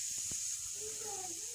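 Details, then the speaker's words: Split tee fitting on hot water line under the combi boiler, located with a leak detection device without breaking walls: steady high airy hiss with faint wavering whistle, no motor, pressurised water escaping. "aç kombin altından sıcak suyu noktasında t'nin yarıldığını"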